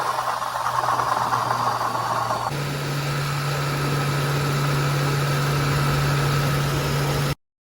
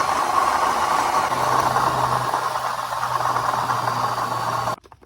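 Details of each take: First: 2006 Crown Victoria/Grand Marquis V8 after replacing a rattling, grinding, leaking water pump: a smooth, steady idle with an even low hum and no rattle or grinding. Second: 2006 Crown Victoria / Grand Marquis V8 idling with a rough, uneven rattling grind from a failing water pump. The pump was leaking with sludge inside and was replaced.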